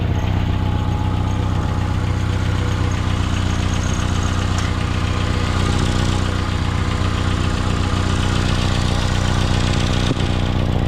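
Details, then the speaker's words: 2016 Mitsubishi Outlander idling: deep steady idle with quick regular puffing tick about four a second; exhaust leak at the resonator, after the oxygen sensor, judged no problem. "There is a leak, but it's after the sensor. It's with the resonator, so there's no problem."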